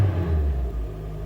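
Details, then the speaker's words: Honda Fit after coil packs and spark plugs were swapped between cylinders 1 and 4 and refitted tight, chasing a number 4 misfire. A steady low idle rumble with no stumbles; it sounds smooth with no misfire. "Oh, that sounds sweet."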